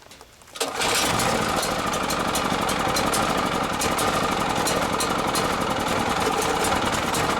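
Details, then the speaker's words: Champion generator, run 3–6 hours daily, stored a year, no-start fixed with simple checks: catches and runs busy, slightly uneven and ragged, then starts surging. Engine surging; owner suspects a remaining carburetor fuel issue. "it sounds like it's okay maybe running a little rough look it just started surging i think it's still having some kind of fuel issues maybe in the carburetor"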